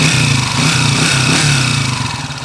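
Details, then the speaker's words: TMX155 motorcycle engine running: loud, harsh steady high whine from worn gears; third gear is noisy and will be replaced, and the number one timing gear is also noisy. "isa pa Ah maugong yung tersera so papalitan yung tercera nito third gear"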